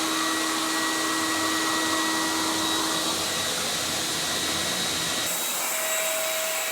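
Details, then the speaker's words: CECOR SD-15 Sump Shark with a battery conversion, running on battery power on the discharge setting, hose in the tank. Steady high motor whine with a constant airy rush, dropping to a lower tone near the end; vacuum motor running normally. "So we can fire it up. We do have it under battery power right now. We got it on the discharge setting."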